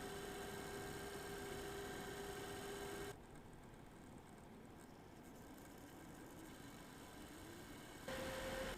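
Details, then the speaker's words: Eight-year-old MSI Radeon HD 7970 Twin Frozr III graphics card under load: steady coil whine over a rushing fan whose speed shifts irregularly; one 75mm fan is dead and uncontrollable, the other failing. "so we're loaded you should be able to hear the irregular fan spinning separate from the coil wine"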